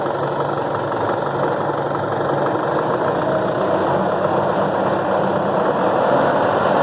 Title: isuzu dmax knocking sound